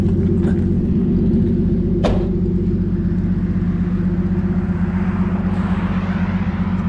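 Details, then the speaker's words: 1981 Chevy C10 squarebody, warm, after tightening an exhaust bolt: low, even rumble, steady beat about two and a half per second, no misses; smooth normal idle, exhaust leak noise gone. "Oh dude, that's smoother than it was before. Dude, I have no gas. Okay, it's coming back up. Okay. Maybe tightening that bolt did more than I thought. Because this is nice. You can't even hear that."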